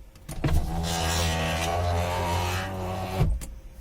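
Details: Ford Focus power window: whirring motor hum with low rumble for about three seconds, ending in a thump as the glass stops; strange noise prompting door panel removal, cause unclear.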